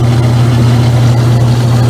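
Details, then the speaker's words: Circa-2003 Maytag Oversized Capacity Plus washer at start of spin: loud steady low hum as the pump pushes water out through the pipes, no knocking or grinding; normal draining. "that's just the water that's trying to go down to find two second things so that's why it travels through the pipes"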